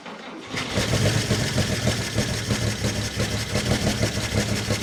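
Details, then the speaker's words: 1949 Chevrolet Fleetline Deluxe inline-six long dormant, first runs after lifter/pushrod work: hitting all six but rough, uneven stumbling miss at low rpm that clears as revs rise, heavy smoke; cause unconfirmed. "gas at the lower RPMs it's like it's missing yeah it definitely clears up with more yeah as it as it comes up it definitely clears itself out"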